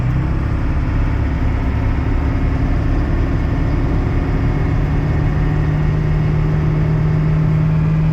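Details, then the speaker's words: Turbo diesel pickup with air conditioning hauling an auction McCormick-Deering 10-20 tractor: a steady, deep drone pulling under load, rising as speed builds. It holds speed up hills, losing only a little. "And we're actually gaining speed. Ain't that sweet? You can even go up hills and not lose speed."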